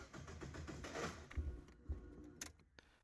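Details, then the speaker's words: Mazda MX-5 on first start attempts with a Speeduino ECU: cranking broken by irregular heavy clunks before it dies away; starter gear suspected of not retracting quickly enough, unconfirmed. It later started without any tune change. "could hear it made weird noises, clunky noise like when the starter motor doesn't pull back the spinning gear quick enough."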